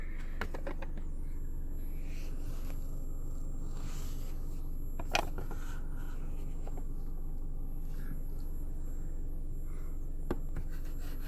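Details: JBL GTR-1001 amplifier with only power, ground and remote connected: low steady buzz with faint pulsing and crackles; noise changes when the amp is moved, nearly stops under pressure, and changes pitch when the power or ground wire is disturbed; gain at zero makes no difference; cause unknown.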